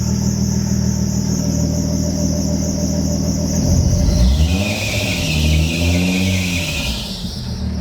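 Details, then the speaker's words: Nissan Z32 300ZX, stock NA engine converted to twin turbo, running on MicroSquirt with base map: high steady belt squeal over idle, pitch swooping with revs; slipping accessory belt needing fixing. "fire it up do have a belt squeal i gotta fix not a big deal though"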